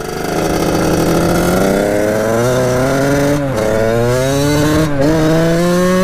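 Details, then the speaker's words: 1989 Kawasaki KX80 big bore two-stroke, warmed up after pilot jet changes, on a riding test run. Crisp buzz climbs cleanly through revs, brief dips at upshifts, no bogging; pulls well, though coolant leaks around the head, needing a new head gasket. "sounds pretty damn good"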